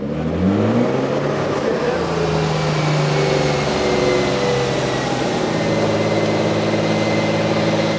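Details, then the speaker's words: Turbocharged car on a dyno after new fuel injectors were installed, pulling hard with a rough, stuttering brr under load: a misfire blamed on poor-quality coil packs. "- So you hear that kind of odd like brr, it's misfiring, don't know why. It shouldn't be."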